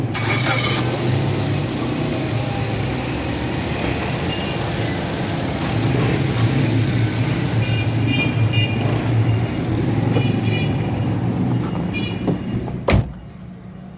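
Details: Japanese automatic Suzuki Swift that misfired at slow running, restarted after refitting the oxygen sensor: the engine settles into a smooth, even idle with a steady low hum for about thirteen seconds, then shuts off cleanly; normal idle.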